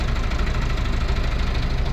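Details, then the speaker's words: Large diesel engine cranking: steady low drone, never catches; crank no start, test light shows a ground fault. "Engine है अभी crank कर रहे य start नहीं हो र ओके"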